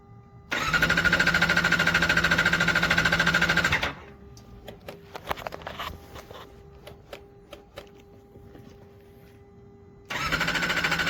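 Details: Vehicle that was ridden the night before, now cranks but won't start: the starter spins steadily about three seconds, stops, a few clicks, another try, never fires. Fuel pump or spark suspected; fuses checked except the main.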